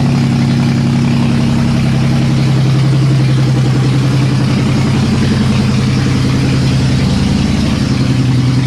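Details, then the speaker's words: Nissan S13 with VQ35 swap, finally started: even steady idle with loud raw bark from open exhaust; normal running. "i'm probably just going to start it one more time just just start it you guys want to hear it it's so loud"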